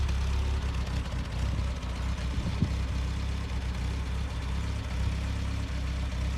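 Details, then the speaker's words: BMW with M10 engine started after 1.5 years not running, following rear-end reassembly with new bushings, differential, and trunk-mounted battery: steady deep even engine note without misfires or knocks; running properly. "Alright guys, as you can hear, that car is running. We are gonna go do a first test drive after a long time. We're super pumped, but it seems to be running good."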